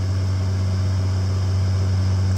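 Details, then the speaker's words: Restored 1912 Westinghouse table fan with three-speed switch: smooth, steady motor hum with a constant low drone, blades running straight with no wobble, rattle or ticking; normal running. "so if I turn it on here you can see that it runs pretty straight and the blades are not wobbling back and forth"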